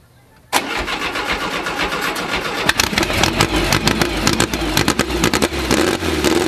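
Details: First start of a newly built VW 2054 engine with carburetors and new venturis: cranks and fires straight away, settling into a brisk, even high idle with loud, sharp exhaust crackle; clean, healthy first start.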